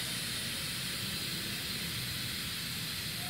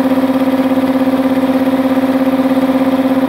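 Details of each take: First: Multipro 2 HP electric air compressor not filling, motor stopped: steady even high hiss, air leaking out under the pressure switch, back from tank past the check valve; suspected dirt or worn rubber seal. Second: Multipro 2 HP (2.2 kW single-phase) air compressor after cleaning dirt from the check valve, filling tank: steady drone with clear mid tone and fast regular pulsing, no hiss or knock; leak fixed, normal running.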